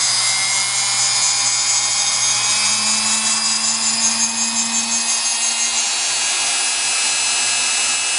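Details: Singer PA-style sewing machine motor from a model 600, running after deliberately being soaked with over 50 drops of oil and then cleaned with Krud Kutter: steady high-pitched whir at an even speed, no grinding or surging; healthy.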